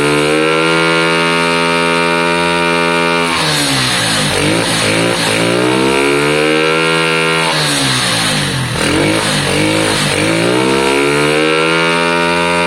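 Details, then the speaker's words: A Lexmoto Valiant single-cylinder motorcycle after an EFI-to-carburetor conversion, with suspected valve issues: from idle it makes two clean rev sweeps up and down, climbing freely with no stumble, revving out better and peaking higher than before. "ah that sounded better that definitely sounded better um it peaked more"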